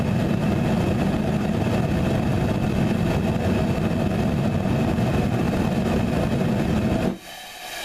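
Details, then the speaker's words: Homemade Frosty T burner with a short nipple and small bell, half the air intake covered, gas pressure cranked up on the regulator: a heavy, pulsing roar for about seven seconds, then it blows itself out. This combination is judged not the way to go. "and then it blows itself out um so the uh short nipple short nipple with the small bell not the way to go"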